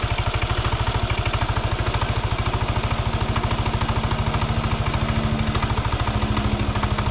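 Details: Yamaha NMAX, engine idling with headlight (billet-type aftermarket lamp) switched on: quick even clatter on every firing beat from the CVT area, gone when the lamp is off; found to be a broken variator pulley slider.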